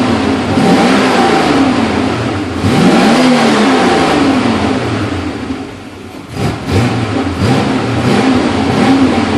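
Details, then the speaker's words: Porsche 928 S V8 after tuning and fuel system cleaning: smooth pull through revs and gear shifts, steady even note with no misfire, knock or hesitation; running normally. "yeah this thing's running like a champ love this car so far got a lot more work to do that's for sure"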